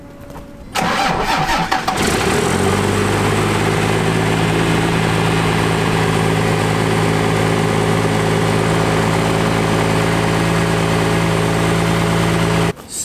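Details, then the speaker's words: Cummins diesel truck with its fuel injection pump power screw being backed out; starts and settles into a fast, steady drone around 1800 rpm, down from over 3000. Idle still too high from the power screw setting. "good news that sounded more like um 1800 rpm not 3 000 plus so we're in the right direction we're going to back out that power screw a little bit more"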